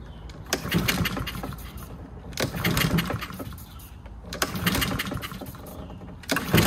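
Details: Free Husqvarna 7021P push mower before its carburetor clean, started on a spray of ether: bursts into life then sags and picks up roughly every two seconds, not holding speed; its throttle/governor spring was later found off.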